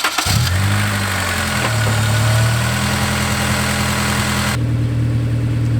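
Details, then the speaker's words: Honda S2000 (AP1) daily driver that was misfiring, burning and leaking oil, after replacing the whole fuel rail and injector assembly: even, steady idle with a smooth low hum, no stumbles; misfire gone. "misfire is gone i don't have to hear it i don't worry about the car"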